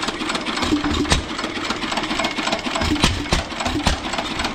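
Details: Stationary engine on test stand; steady, even chuffing beat with crisp regular firing pulses, no knocks or grinding; running healthy and powerful.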